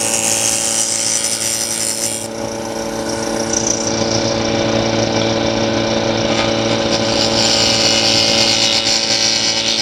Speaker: Sound is important. I don't know if you hear, it's a nice even zzz.